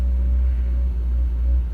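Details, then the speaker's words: Toyota KE30 Corolla started after years of storage, fuel line to tank choked with old fuel; low, quiet idle rumble with a slightly uneven beat; running a little rough. "swap on one off another 2-door one which I have got laying around as running a little bit rough but"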